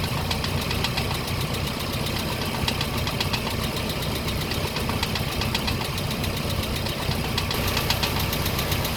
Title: Land rover series 3, before the repair of the camshaft rollers. Terrible rattling noise